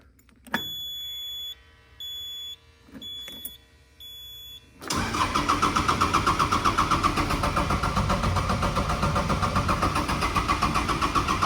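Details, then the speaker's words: 2011 CAT 259B3 skid steer diesel, glow plug light flashes only briefly: starter cranks for seconds at about four turns a second without firing; long cranking, sometimes no start, jump pack sometimes helps; glow plugs suspected not coming on. "the problem that we're having on this cat is that we're having to turn the key and just crank and crank and crank and crank and sometimes it won't start at all"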